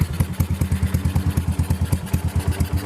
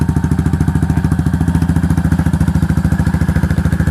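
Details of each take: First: Yamaha SR400 brought in because the owner found the engine loud: quick metallic tapping of about six or seven clicks a second over the single-cylinder idle; a valve rocker was found moving side to side when it shouldn't. Valve rocker arm clatter. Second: Yamaha SR400 single-cylinder after repair of noisy engine by replacing worn valve rocker arms: slow very regular thump, about three and a half beats a second, no top-end clatter; quiet normal idle.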